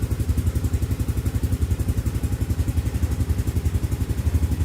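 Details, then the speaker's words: Yamaha Aerox scooter after fitting a new battery (previous one gave error 12, only 5.5 A vs 6.3 A needed): quick start, then a regular low putter with no stumbling; voltage rises quickly to about 12.08–12.09 V; normal idle. "nah nih Coba kita starter Ya udah pasti aku menyala ya"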